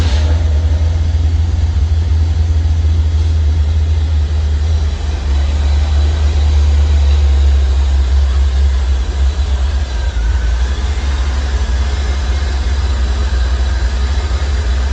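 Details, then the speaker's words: 1985 C4 Corvette V8 after a no-start fixed by replacing fouled spark plugs, timing not yet set: fires first try and holds a loud, even low idle with no misfire or ticking, healthy. "So I installed everything and she fired up on the first shot, just like she's supposed to."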